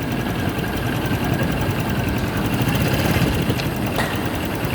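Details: Motorcycle, rough idle with uneven knock under exhaust, three or four a second; engine fully disassembled three times chasing the noise; mechanical knock of unknown cause.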